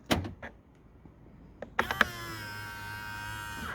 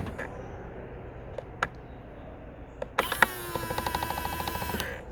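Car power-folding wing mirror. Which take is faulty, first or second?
second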